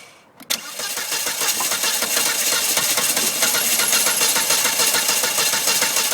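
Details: Volvo S40: fast, steady cranking rhythm around three to four beats a second going on and on without the engine catching; hard start, long cranking.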